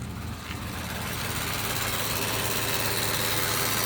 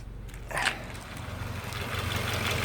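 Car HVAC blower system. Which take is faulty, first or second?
first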